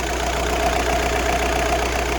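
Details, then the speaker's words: VW Bora estate TDI 130 diesel with original clutch, uses no water or oil: steady, even diesel clatter at idle with a smooth low rumble, no knocks, rattles or clutch noise; engine healthy. "Pas de bruit bizarre. Pas de bruit d'embrayage non plus."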